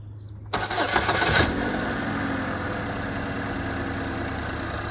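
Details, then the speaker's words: 2015 Buick Verano 2.4 Ecotec just after a timing set replacement: quick crank, clean catch, brief flare, then smooth steady idle, the normal sound. A bell-like noise at shutoff is the concern. "okay that's what it's supposed to sound like normally"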